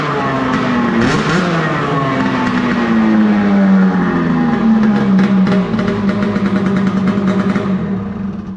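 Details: Arctic Cat F7 two-stroke snowmobile revved with a newly fitted booted add-on, after fuel was swapped because it had snuffed out like seizing. Crisp rev climbs and holds a high buzzing note, clean, no misses: healthy.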